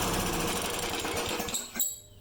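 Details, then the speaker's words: Neglected mower, primer bulb pushed a few times: rapid sharp firing for about a second and a half, then it stumbles and cuts out. Owner thinks it runs only on primer fuel and cannot draw more, suspecting a dirty carburetor. "It starts right up and then it dies, so I think it's just running off the primer fuel and it's not able to suck any up."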